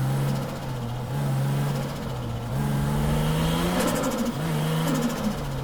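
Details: Car at a drift contest revving hard under load: an uneven, stumbling note with wavering pitch instead of a clean climb, the engine misfiring.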